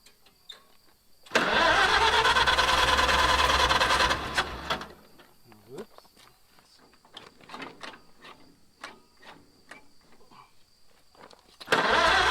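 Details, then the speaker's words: Wartime H tractor, first runs after 20+ years of sitting: it catches and runs evenly for about three seconds with a steady beat, then shuts off. It runs pretty good with good oil pressure, though there was a little fire. "all righty well positive notes I think it runs pretty good and just by turning it over I can see we got good oil pressure"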